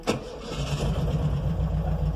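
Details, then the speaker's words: VW Beetle (vocho), air-cooled, after cleaning and rewiring of its no-start fault, suspected ignition switch: dash lights come on, then a short crank catches at once and settles into a steady, even low idle with no misses. "vamos a hacer la prueba de arranque de este mosquito abrimos el switch se prenden los testigos ahí están venido los testigos y vamos a darle marcha"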